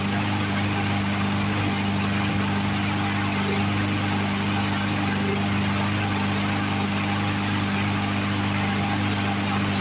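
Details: Poulan Pro push mower with a Briggs 550EX engine, found abandoned by a highway: runs unprimed on its own fuel but rough, with an irregular stumble and skipped beats. The carburetor is suspected and needs to come apart; not confirmed.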